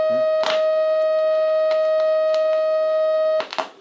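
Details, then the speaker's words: Three-stage valve regenerative receiver: clean steady test tone from the speaker, cutting off near the end; audio amplifier stage working normally. "luego lo podíamos podíamos hacer también es es probarlo con la entrada del del del transformador que amplificará un pelín como veis ya se suena más"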